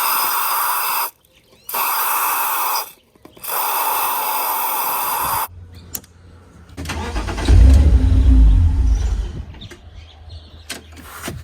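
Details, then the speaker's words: BMW E46 323i with M52 engine, long-standing hard-start fault: after cleaning the air flow sensor, the starter cranks steadily but it never fires; owner suspects an internal open circuit reporting no airflow, so the ECU cuts injector pulse. "yeah so it doesn't want to know about it so i'd say there's actually like an internal fault rather than just the the the sensor pickup having an issue there's probably a open circuit in here or something it's probably telling the ecu that there's no airflow and then it's cutting injector pulse"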